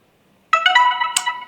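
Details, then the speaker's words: DJI Air 3 drone after core board repair: short rising run of clear musical notes lasting about a second with arm lights on; normal boot tune, drone powers on. "Here comes the familiar boot music And the arm lights are on."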